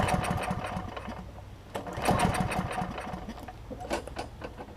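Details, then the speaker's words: Kohler-engined Lawn Boy mower after a first carburettor cleaning attempt: runs rough, surging and sagging in uneven bursts. The top jet is still partly clogged, making restarting and cold starting hard; the jet will be removed and cleaned again. "all right so that didn't quite get it all go further and take the jet off clean all that good stuff out including that top jet cuz it'll run once you get it started runs just fine but restarting it and starting it when it's cold is a bear so that's the issue"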